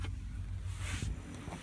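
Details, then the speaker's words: Vehicle fridge compressor on Optima battery after driving: low, steady hum, no knock or rattle; compressor running normally and loading the battery. "can you hear that? That's the compressor running, so that's putting a higher load on the battery."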